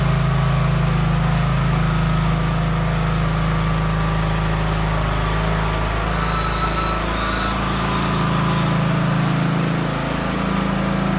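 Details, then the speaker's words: Craftsman DLT 3000 riding mower, about 2010-2015, after engine repair and reassembly; a strong, steady engine drone holding an even beat through the load change with no knocks or rattles while driven through the gears, healthy. "All right, good. All the gears seem to work. Everything seems to be fine with the motor, so that's good."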